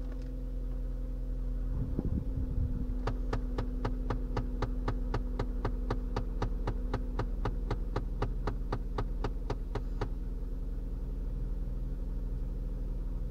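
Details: Faulty HVAC recirculation door actuator popping when commanded: sharp, even pops about four per second for seven seconds over blower hum; actuator skips and never reaches commanded position.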